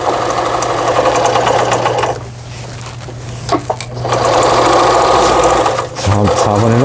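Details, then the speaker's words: Brother Prestige 10, about 25-30 years old, repaired after failing to pick up the bobbin thread and reverse stitching not working: brisk, even zigzag stitching whirr at about three beats a second that pauses and resumes smoothly, no knocking or binding; normal. "지그잭 바느질 정상적으로 부드럽게 박음질 잘 돼서 나옵니다."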